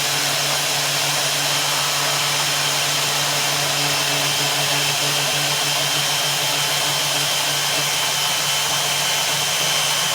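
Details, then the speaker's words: Power hacksaw finishing a cut on clamped steel stock for a bracket, cooling oil used; steady hiss and rasp of the blade with faint motor hum underneath, even normal cut. "and then i have a power hacksaw here we'll finish making that cut clamp that down"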